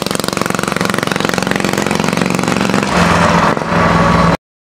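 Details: Homemade motorbike, 1947 Western Flyer frame, 120cc Honda GX with GTC TC2 CVT, first drive after fitting a remotely adjustable main jet: single cylinder chugs rapid and slightly uneven, pulling heavily; mixture set far too rich.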